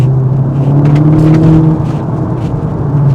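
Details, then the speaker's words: Modified 2018 Golf 7.5 GTI on boost, exhaust valve opened in loud mode: deep steady drone climbing smoothly with a clean exhaust note, no popping or flutter; sounds much healthier. "it sounds a lot healthier."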